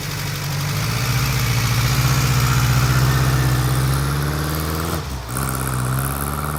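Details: 1955 Ariel Square Four, a work in progress: a steady, even low-pitched four-cylinder burble holding a smooth idle, with a slight blip near the end.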